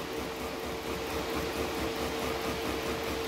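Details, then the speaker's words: Diaphragm pump in a DIY TIG welding water cooler, with an air accumulator added to damp pressure pulses: a steady hum pulsing unevenly about twice a second as the pump strains and surges. It still stutters. "then you can hear the pump straining and there's no need to put that much pressure through the line so with the accumulator it keeps the surging of the pump a little bit lower"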